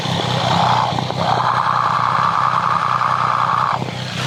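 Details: Triumph 765 motorcycle engine, heard through a stethoscope near the timing gear: a steady light ticking under a sustained whirr, mixed with exhaust sound. Chain noise suspected, exact cause unclear.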